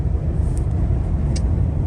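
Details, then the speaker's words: 2023 Ford Explorer, 2,900 miles, at 80-90 mph after adding washers and nuts to underbody panel M6 bolts: only steady road and wind roar, previous passenger-side rattle/wind noise at 60-80 mph gone. "but uh am not hearing it anymore you can hear it over here on the passenger side and I am not hearing it anymore so I've been driving for a little while it got it up to 80 got up to 90 one time and uh don't hear it anymore so yay"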